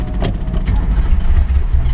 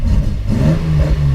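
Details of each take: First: Home-built Datsun 240Z on a road trip: engine chugs and surges unevenly with power dips while a loud fuel pump whine comes and goes. Fuel starvation; the car ran out of fuel. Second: Home-built Datsun 240Z engine restarting after running out of fuel on a road trip and refilling from a jerrycan; catches cleanly and pitch climbs smoothly as it revs, no stumbling or misfire; normal revving.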